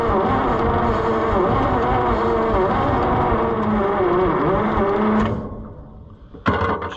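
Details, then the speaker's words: Long-stored John Deere 55 EB combine, seemingly low on compression: the engine runs rough and steady for about five seconds, then dies and won't keep going. Cause unconfirmed. Starts then stalls. "jeez well that's no fun I mean I thought we had her we had her licked and then she just let us down"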